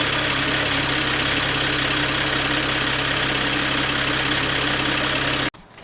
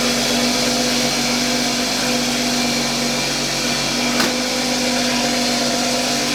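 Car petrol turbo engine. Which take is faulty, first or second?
second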